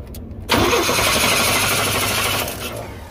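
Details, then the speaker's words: Chevy throttle body injection (TBI) engine, cooled down a little: starter cranks briskly but engine never catches; crank no start, demonstrating an unplugged or faulty oil pressure sensor suspected to cut injection. "okay so you might have that similar issue where just cranks and cranks and cranks"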